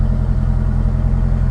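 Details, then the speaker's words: Salvage-title C5 Corvette V8 at idle before oil pressure sensor replacement: a deep, steady, even rumble with no ticking or knocking. The gauge swings between 0 and pegged at 80 psi, but the healthy sound suggests the oil pump is good and the sender is bad. "if you can hear the engine in the background like i said it's not making any nasty noises which is good because those nasty noises would mean that the oil pump is bad and the engine is by now junk but uh we're not hearing that"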